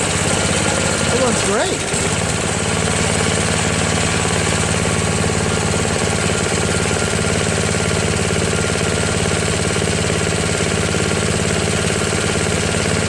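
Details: Craftsman snowblower, after a replacement gasket was fitted (not leaking) and the bottom carburetor screw was adjusted: a steady, even idle with a regular beat and no stumbling, hunting or surging; it idles smoothly.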